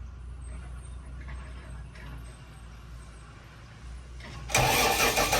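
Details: Bomag BW212 D-3 roller, after a won't-crank/no-start repair: quiet for four seconds, then the diesel catches at once and runs loud and steady; normal start.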